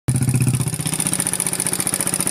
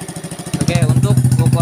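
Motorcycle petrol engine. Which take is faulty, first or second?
first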